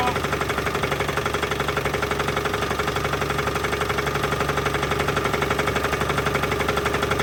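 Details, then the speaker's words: 1983 GMC S15 Jimmy 2.8 L V6, not run in 15+ years with a valve cover left off, first start and only slightly warm: a steady, hard knock about three times a second under the idle; owner suspects a rod knock. "got a little something trying guys it's starting to spit I don't know if it's the PB or not but I think that's a definite Rod off"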